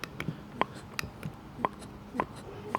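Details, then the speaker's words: Carter mechanical fuel pump without vacuum booster, on the bench with its lever worked by hand in a quiet room: sharp dry clicks about two per second, the normal pumping click of a healthy pump. "you can hear that kind of uh this one makes like a clicking like a almost like a clicking sound"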